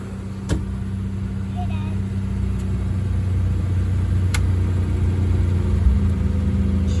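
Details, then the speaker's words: 1962 Mercury Monterey Commuter wagon after Pertronix kit, new coil, cap, rotor, plugs and wires, carb untuned: steady even engine note building smoothly when revved, no misses; ignition working well, choke suspected not right, some sputter. "So I would say the ignition system's working at A1. I'm guessing that choke is still not quite right."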